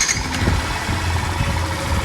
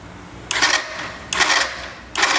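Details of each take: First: Factor/Crosser/Fazer 150 motorcycle after replacing the starter motor (the old one had a damaged armature gear and bearing play): short crank, then it catches cleanly into a steady low idle with no starter grinding or whirring; normal start. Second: Yamaha Factor/Fazer 150 and Crosser 150 motorcycle starter: five short harsh cranking bursts with loud grating whir; chronic fault, worn starter armature ends and gear, brushes alone don't fix it, starter motor must be replaced.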